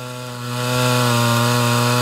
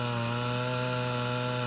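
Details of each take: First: Mildly ported Homelite Super XL Auto chainsaw with a 20-inch bar during tuning: screams at full throttle, drops off, then the idle climbs on its own, a classic sign of a slightly lean mixture. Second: Mildly ported Homelite Super XL Auto chainsaw, 20-inch bar, cutting under load: steady scream with pitch level through the whole cut, holding RPM without bogging, unlike a stock saw; torque increased.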